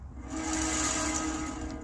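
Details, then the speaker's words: Norwood HD36v2 bandsaw mill, new roller guides replacing the ceramics, freshly mounted band tensioned 5⅓ turns, tracking checked, newly fitted clutch aligned: smooth even whirring roll with faint steady whine, no knocks or rubs; rollers turning freely, normal. "look at how well that rolls through there just listen to it how even it is and smooth it is"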